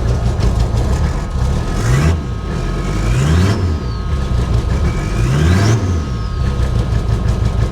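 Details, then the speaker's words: Abandoned 1980s Toyota Supra at auction, first start after sitting: idle surges up and down about every second and a half, never settling; runs poorly at idle, fine with a little gas. "it runs poorly give it a little gas it runs fine"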